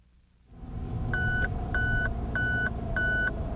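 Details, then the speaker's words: Mazda RX-8 tire pressure monitoring warning: over a quiet engine hum, a clear mid-high beep repeats about every 0.6 seconds, signalling pressure too high or too low in one or more tires; check and adjust when tires are cold. "if tire pressure is too high or too low in one or more tires the warning light will illuminate and a warning beep will sound"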